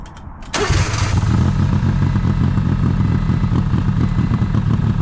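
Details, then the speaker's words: 1995 Honda Acty in 27°F cold after sitting 2-3 weeks, jump started, plugs looked ok: catches after cranking into a lumpy, uneven idle, heavy white smoke, much fuel from air filter and charcoal canister; owner suspects stuck carburetor float. "Uh when it did start, it idled rough as hell and there's a lot a lot a lot of white smoke and there's a bunch of gas pouring out. Like the carburetor float is stuck."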